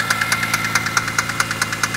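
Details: BMW E46 M3 engine. A sharp metallic rattle at about nine per second rides steadily over the running engine and has been getting progressively worse. The owner suspects the chain tensioner or VANOS, source unconfirmed, and plans to pull the valve cover.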